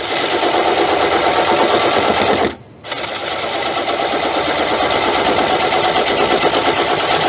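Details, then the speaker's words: Monkey Puzzle wood bowl on lathe: rapid, even knocking through harsh cutting rasp as the gouge bangs off soft pith each turn at this speed. "It's the pith. Remember, the pith in this is soft. So I think at this speed, I'm kind of getting a bang off it."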